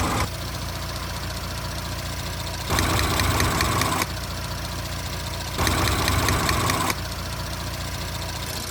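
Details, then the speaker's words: 2017 Audi S5 B9 EA839 V6, 67,000 mi, after engine removal, rocker arm replacement, intake carbon clean, upgraded camshaft adjusters and fresh oil: smooth, even idle with no more ticking from bank two, a couple of brief speed lifts; sounds healthy. "Sounds a lot better now. There's no more ticking coming from this bank."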